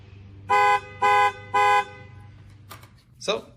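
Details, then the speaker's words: 2013 Ram key fob that had stopped working, tested after the repair with the contact button held in place by tape before reassembly: three short identical horn toots about half a second apart, then quiet handling noise; the remote works again. "So now that we know it works, we'll clean this up, put it back together, and be on our way."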